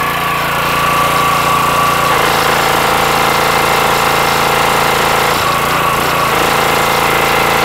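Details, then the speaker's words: Petrol pressure washer after internal repair of suspected unloader valve fault (previously wouldn't release high pressure on trigger release): steady, even drone, settles smoothly as unloader cycles, no stumbling or abrupt stop; hose leak stopped; owner thinks it needed to reset; now working normally. "maybe things just needed to reset after i fixed everything internally yeah it's actually working the way it's supposed to now"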